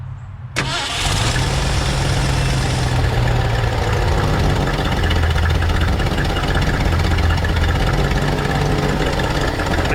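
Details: 1968 Ford F100 pickup V8, carburetor just adjusted and thermostat just installed after poor acceleration on road test; short crank, catches cleanly and settles into steady even idle with no misses or knocks; normal start and idle.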